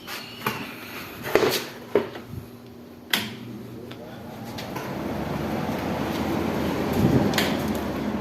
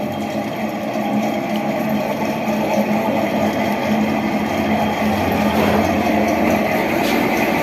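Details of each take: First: Window AC fan motor after repair of fan motor sound problem: a few clunks at switch-on, then smooth, even whoosh with no rattle or hum; normal fan motor running. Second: Window AC fan motor running, cooling otherwise fine; steady hum with a rough, gritty rumble and faint whirring, very loud because the motor's bearings are worn; motor then opened for bearing replacement.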